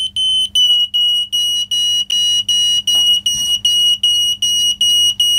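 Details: Optical smoke detector with non-replaceable battery, nearly at use-by date, opened for teardown, triggered: shrill steady pulsing beep about 2.5 per second; alarm still works.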